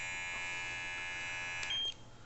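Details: A8S cordless professional hair clipper after cleaning and blade lubrication: steady high-pitched electric hum, even and smooth with no rattle or buzz before switching off; runs clean.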